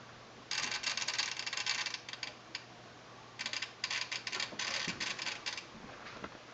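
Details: Long-in-the-tooth Sony STR-DA555ES AV receiver suddenly started clicking while watching TV: rapid, sharp chattering clicks in irregular bursts with near silence between, fault inside the receiver, fix not yet known.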